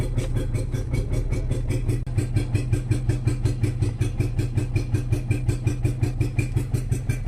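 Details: Renault Kwid with late starting and slow pickup, codes 033564/0313F8: engine idles unevenly with a regular lumpy stumble and heavy misfire; scan points to cylinder 1 injector control, and the exhaust is open.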